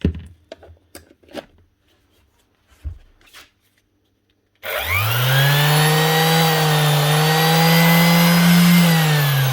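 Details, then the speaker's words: Brand-new Makita BO6030 hook-and-loop sander run for sound comparison against a slow-running unit; few light taps, then motor spins up to steady, even hum holding pitch; healthy sander at full speed. "I don't want to dirty this thing, just want to compare the sound."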